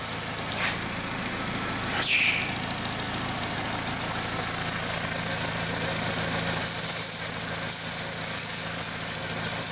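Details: 2003 VW Beetle 1.8T after intake gasket replacement, not fully warmed up but oxygen sensor live: quiet, steady idle with a light hiss, no knock or stumble; idling normally, maybe slightly lean.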